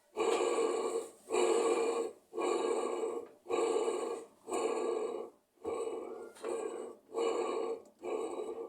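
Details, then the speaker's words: Washing machine making a rough, grating burst about once a second as the motor swings back and forth. The noise is worse when washing than when spinning. The drive motor bearing is rotten and worn out. "faz esse barulho para lá e para cá tch ela lava bonito meso n imagina essa rodada aqui lavando é uma Bele só que como vocês viram o rolamento podre"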